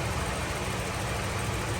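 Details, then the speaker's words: Toyota Revo at idle with AC running, after oil was added to a noisy compressor that had run dry of oil: smooth, steady low engine idle with no grinding, rattle or whine from the compressor. Noise gone; normal compressor operation. "Tingnan na natin yung compressor. Oh 'di ba? Nawala na po yung ingay."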